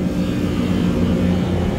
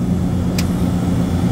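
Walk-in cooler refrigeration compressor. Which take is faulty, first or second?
first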